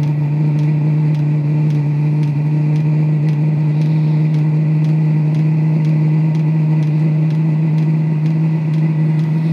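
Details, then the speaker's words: Previously non-lighting diesel heater run at maximum, pump at four hertz: steady even burner roar with regular fuel pump tick about twice a second, glow plug now off and combustion self-sustaining; normal running at full power. "is gonna take a while that to clear ah she's running glow plug is now off and it has a self-sustaining button"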